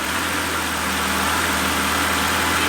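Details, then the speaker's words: Mercedes CL65 AMG twin-turbo V12 just refired after repairs, with no coolant in it yet: even, steady idle with no stumble or skip, just a constant smooth hum; no misfiring, running clean and healthy. "ah it's so smooth nice no misfiring i could go to sleep on this thing idle down"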